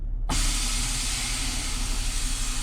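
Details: 2009 Acura TL with newly installed Airlift 3S air suspension and remote, car aired up then dumped via remote: sudden loud even rush of escaping air held for seconds; dump works normally, confirming the controller has power and functions.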